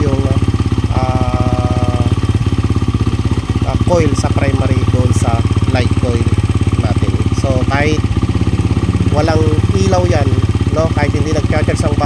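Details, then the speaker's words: Honda TMX 125 converted to battery-operated CDI, previously wouldn't start due to flat battery; now charging at 14.8 V: quick steady single-cylinder putter, no misfires or rattles, revs cleanly; running normally. "So i-try natin siyang i-accelerate. Okay. So ayan na good na siya."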